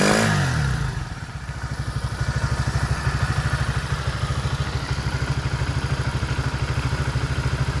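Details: Motoland 166FMM (165FMM) 250cc single-cylinder engine, first start after repair: catches, then settles into an even idle thump with no knock or rattle; running normally.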